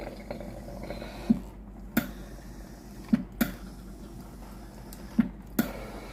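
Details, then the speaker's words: Philips GC9682/80 steam iron, ready but soleplate cold: soft irregular drips and spits about every second with no steam hiss; heater relay (ALDP124) not powering the soleplate, so water drips instead of steam. "ที่ออกมาที่ฮีเตอร์หน้าเตานะครับตัวนี้เป็นหยดน้ำนะครับ"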